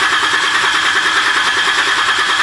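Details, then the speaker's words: Jeep engine after 7 months apart with heads replaced, cranked with fuel pump fuse out to build oil pressure: steady even starter cranking with regular chug, no firing; engine cranking without starting. "Alright, I'm going to crank it here without the fuel pump fuse in. We're going to get some oil pressure."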